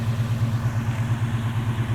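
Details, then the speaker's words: 1972 Chevy C10, 350 small-block V8 (non-original) with TH400, electric-choke Rochester carburetor at 6 psi fuel pressure, ~2.5-inch exhaust: even, slightly lumpy burble about six pulses a second, steady; smooth normal idle, nice exhaust note. "exhaust sounds nice i think the exhaust is about a two and a half inch right now with that rochester it idle smooths but it's not really a fast truck by any means"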